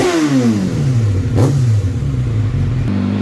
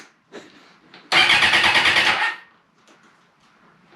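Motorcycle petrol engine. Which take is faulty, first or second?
second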